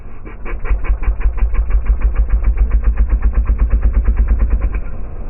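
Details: Piaggio Zip 4T scooter on acceleration: rapid even popping over heavy low rumble as inlet valve not shutting properly lets combustion fire back past it, carburetor spitting fuel; intake backfire, high fuel consumption.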